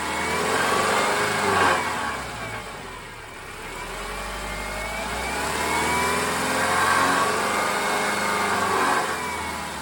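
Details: 2010 Subaru Forester revved while parked: tinny buzzing rattle swells around 2700 rpm then fades, also heard on acceleration and sometimes idle; solved as a loose exhaust heat shield vibrating.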